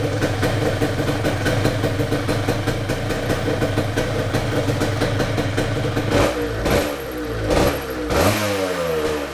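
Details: 1978 Yamaha DT175MX two-stroke, first start after full restoration with new crank bearings, seals, piston, rings and small-end bearing: crisp rapid popping idle, clean throttle blips rising and falling freely; healthy.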